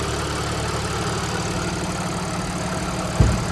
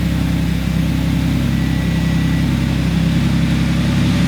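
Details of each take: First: 2014 Audi S4 supercharged, after owner's repair work: smooth, steady low idle with no misses, one brief thump; check engine and TPMS lights on, likely codes from the repair; idling normally. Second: 2014 supercharged Audi S4, just started after the owner's own repair following a check engine light, with old exhaust smoke coming out. The idle is lumpy and uneven, with an irregular low pulse under the exhaust rumble. Cause not confirmed.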